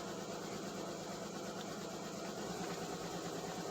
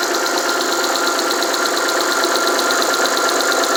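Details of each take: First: Alfa Romeo 156 with Busso V6 on its first start after 2-3 years with the fuel lines disconnected: a busy, slightly uneven idle with a fast patter as air purges from the fuel system. All six cylinders catch and it runs. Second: Alfa Romeo 156 Busso V6, first start after about three years sitting, fuel lines reconnected and air bled: after three or four minutes running, even steady idle with no knocks, misses or surging; all six cylinders firing, normal idle.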